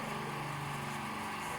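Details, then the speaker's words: D KIEI 50-litre "silent" air compressor running: steady, even, quiet mid-pitched motor hum with no knocks or rattles; quiet enough to stand nearby or keep in a van, normal healthy running. "I could quite happily move a bit further away from it. You know, that's not really going to upset anyone."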